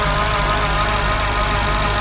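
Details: Petrol car idling in park with a steady low drone and uneven beat; rough idle returned after 30 minutes despite IACV cleaning, fault code P1519, engine feels like it wants to creep forward; cause not confirmed.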